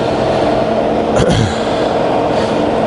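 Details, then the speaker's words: Fully rebuilt Bridgeport variable-speed milling machine, quill power feed cycled through highest, slowest and medium rates: even motor hum holding through a sharp lever clack, no grinding or knocking; all feed rates working fine. "So that's the highest, that's the slowest, and that's the medium there, and they're all working fine, as you can see."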